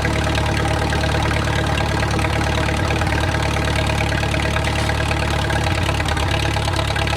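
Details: Wartime H tractor engine, first start after 20-plus years sitting and breaking itself in, settles into a steady, even low thump of about three beats a second, idling smoothly with no knocks.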